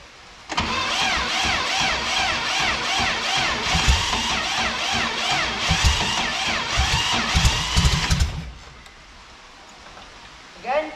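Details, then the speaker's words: VW Beetle barn find sat about 40 years, fresh battery: starter churns steadily about eight seconds with a few stronger puffs but never catches; cranks but no start, fuel starvation suspected. "Right, so it turns over, so let's put a bit of petrol in and see if we can get it started up."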